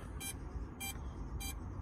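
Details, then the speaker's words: DJI Mavic Mini after firmware .0500 update, landed after motor speed error: three short sharp high beeps about two-thirds of a second apart over quiet hum; ESC flagging faulty back left motor. "so we go into the three says that is beeping the water whichever motor it is is beeping"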